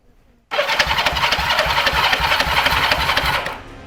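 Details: After rebuilding the starter clutch on a 1971 Honda CL350 K3 Scrambler twin, the starter engages at once and spins the engine at a brisk, even rate for three seconds with no slipping or grinding; the starter clutch now works normally.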